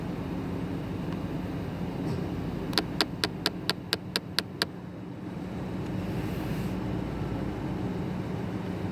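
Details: 2010 Nissan Armada: a quick burst of about eight sharp, evenly spaced clicks, roughly four a second, over a steady vehicle drone, then it stops; clicking noise.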